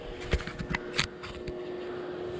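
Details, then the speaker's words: 2003 VW Beetle diesel on jack stands, wheel rocked side to side by hand: quick loose clunks from a worn, totally shot rear bushing of the lower control arm; other side equally bad. "rear control arm is what's giving the play, so check that out. Yeah, that is not ideal at all."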